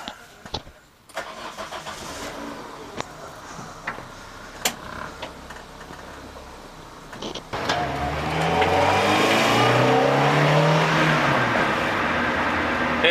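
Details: Citroën AX 16V trackday project, started to drive to the safety inspection retest: a few clicks, a brief crank, then it catches cleanly, flares and settles to a steady, even idle.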